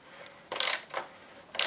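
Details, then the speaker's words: Motorcycle floating brake disc during winter brake service, after a seized bobbin was cleaned with brake cleaner: light clean ticking and short metallic rattles as it is turned by hand, with the earlier crunchy noise gone; bobbin now moves freely. "it's not so crunchy anymore you've got rid of the noise"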